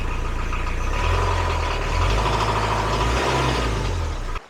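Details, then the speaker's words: Marine diesel in a widebeam boat run after its 500-hour service with oil and filter change, warning lights off, charging at 13–14 V, oil pressure good; steady running and a brief rev with no belt squeal, normal. "As far as I know, everything is good. And there's no squealing, which is awesome."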